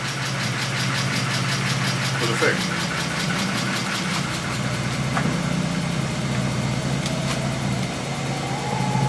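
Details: BMW E36 328i Compact just fitted with a new alternator, started using a portable jump starter: steady, smooth idle with an even low drone and no knocks, squeals or misses; healthy.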